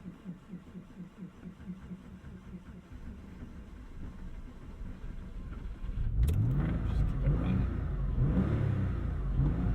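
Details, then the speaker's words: 1999 Porsche 911 (996) Carrera 4 just after a hard start: uneven low engine beat with irregular pops as revs climb, stumbling and backfiring instead of pulling cleanly; rough running, cause unknown. "she's giving us some backfires yeah did you hear that i did and i feel it in my butt too"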